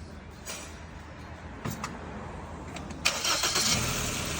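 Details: Petrol engine that idled rough and shook despite new coils and spark plugs, now after injector refit with original coils reinstalled; low even idle rumble, no stumble or misfire: normal idle.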